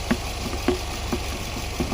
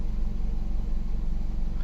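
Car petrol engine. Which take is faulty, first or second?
second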